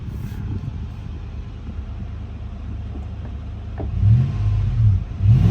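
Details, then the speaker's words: Lexus GX 470 V8 with newly installed Magnaflow overland exhaust replacing OEM: deep burbling idle then three quick blips swelling and dropping cleanly, noise mostly from the engine itself; healthy. "woo damn this thing sounds great most of the noise you hear is coming from the actual engine itself but no this thing sounds great"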